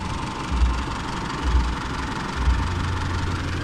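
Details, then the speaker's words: Older Isuzu D-Max diesel, hot-engine hard-start workaround with temperature sensor T-connector pushed back in: low, even diesel clatter at about 900 rpm, no misses or hunting; engine idling smoothly and normally. "เครื่องยนต์เดินเรียบเหมือนเดิมนะครับผมก็คือมาอู่หรือกลับมาบ้านได้ปกติเหมือนเดิมนะครับผมก็เอาตัวรอดนะครับ"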